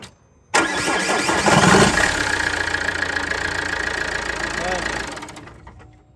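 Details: Engine start after refitting the accessory belt (crank, alternator, tensioner) that had previously broken: catches right away and settles into a steady even idle with no squeal, slap or flutter from the belt; normal start and idle.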